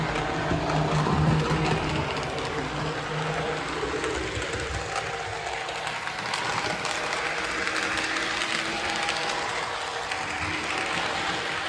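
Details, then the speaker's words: Varney 2-8-0 Canadian Pacific Consolidation model locomotive, which previously hummed but would not move, running in on track after repair: an even motor whir with steady wheel clatter whose body vibration noise varies with track section and is getting quieter, so it runs smoothly. "seems to depend what's what part of the track it's on makes different noises but it's smooth [Music] enough"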